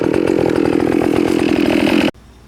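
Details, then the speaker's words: Stihl FS 560 two-stroke trimmer with .130 Gatorline at full throttle in soaking wet, thick matted grass, pitch sagging slightly as it bogs, then cuts off; healthy under heavy load. "so super wet super thick full throttle you can hear it bogging down a little bit we definitely got power"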